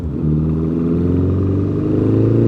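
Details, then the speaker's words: 1955 Ariel SQ4 four-cylinder motorcycle under way at light throttle: steady drone with a faint fluffy unevenness, a mild stumble or misfire; work in progress, cause not yet found. "so first off i just want to mention there's a bit of a there's a bit of a stumble bit of a misfire which you can probably hear but as we've said earlier in this video it is a work in progress"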